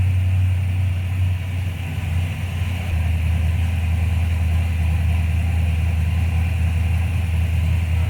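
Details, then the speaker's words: 1995 Ford Mustang GT, Ford 302 V8, after swapping in a new manifold, rebuilt carb, fuel pump and gas tank; a loose plug was found and timing set. Steady, even, low-rumble idle with no misses, firing on all 8 cylinders. "but we found a loose plug Billy found a loose and then I set the timing and now it's running right"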